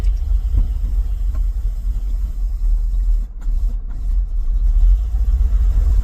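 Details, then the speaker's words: Ford F350 carbureted dump truck at idle. Deep, lumpy rumble with slightly uneven pulses and wavering loudness; owner says it's idling a bit rough. Rough idle. "Yeah, it's idling a bit rough. Man, this thing sounds awesome."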